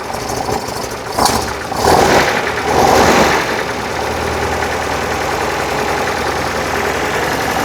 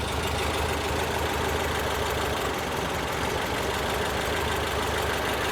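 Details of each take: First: 1968 VW Type 3 with freshly installed 1835cc air-cooled engine, first start after install: short crank, catches quickly, a couple of blips, then a steady, even idle while oil burns off; normal start and idle. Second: 1968 VW Type 3 with freshly installed 1835cc air-cooled engine, just started and smoking as oil burns off: steady, slightly slow, lumpy idle with an even beat and no knocks; idle speed a little low, owner may give it a small idle adjustment.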